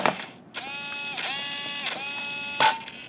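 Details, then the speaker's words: Traxxas Slash 2WD RC truck, original steering servo after three days of hard use: strained buzzing gear whine with ratcheting as wheel turns; stripped plastic servo gears, replaced with new servo. "what we have here is a Traxxas 2-wheel drive slash, and the servo has gone bad. Listen to this. You can hear it. I'm turning the wheel."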